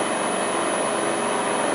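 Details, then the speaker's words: LT230 transfer case on a test bench driven by an electric motor at steady speed: constant hissing whir with thin high whistle, possibly from the rear output bearing, recently replaced with a new bearing; owner wonders if the shield hits the casing. Suspected bearing noise. "There's something noisy about the back here. So, what I'm trying to say is the noise coming out of this back bearing? Shouldn't do, it was a new bearing."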